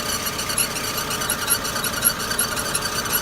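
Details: Daewoo Lanos 1.6 16v, 93–100k km, thin steady whine since winter when heater, blower and accessories are switched on, gone with loads off; owner suspects timing belt, idlers or water pump. Cause unconfirmed.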